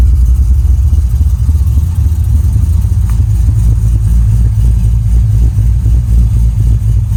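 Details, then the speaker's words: Wagon with a 6.0L LS swap, 4L85 transmission and Texas Speed cam: deep, even, lumpy V8 rumble holding a steady idle with no ticks or knocks; normal idle. "So I think what I'll do is start this puppy for you, and you kind of give it a listen, see what the new LS sounds like."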